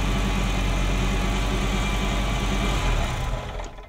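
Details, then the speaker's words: Ferrari Mondial V8 idling after the plugs were cleaned and refitted: lumpy, stumbling beat about four times a second. Cylinders 5-8 (bank nearest the firewall) are misfiring, with indicators flashing. Timing is out; owner suspects a sensor. "So it's that bank that's misfiring. Yeah, it's that bank."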